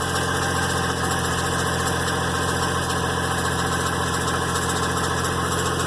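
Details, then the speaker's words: GMC Envoy after a transmission pan, gasket and fluid service, cold idle: steady engine with a constant metallic rushing clatter from the fan area at the front; cause unclear. "It's a noise up in that fan. I don't like that. It sounds metallic."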